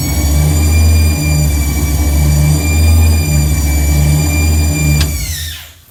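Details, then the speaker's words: Truck project with newly installed Megasquirt ECU and transmission controller, first cold start: loud steady high whine over lumpy V8 idle, pitch falling at shutdown; source unknown, owner will remove alternator, power steering, A/C and water pump belts to test, else suspects transmission. "yeah i'm not sure where that winding noise is coming from i'm going to loosen up and take off the fan belts for the alternator power steering pump and air conditioning compressor and that'll disable the water pump as well see if it goes away"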